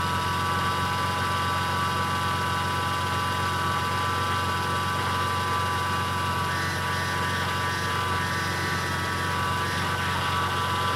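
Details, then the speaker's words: BMW E30 M52 turbo idling on first start: a steady mid-pitched power steering pump whine over the even idle that doesn't ease off. The ATF is half air bubbles, and the pump is left running to purge the air but is still noisy. "How we get that air out? Just let it pump. I did break mine. it's still making sound."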